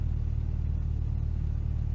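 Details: Humber Sceptre after replacing the carburettor jets, idling in neutral during a road test with a hot smell and smoke later seen from under the bonnet: steady low rumble with an even, quick pulse and no stumbles; normal idle.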